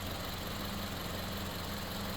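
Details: Toyota running 5W30 instead of the 0W20 it came with; smooth, even idle with a low, steady hum and no ticks, knocks or wavering, healthy normal idle.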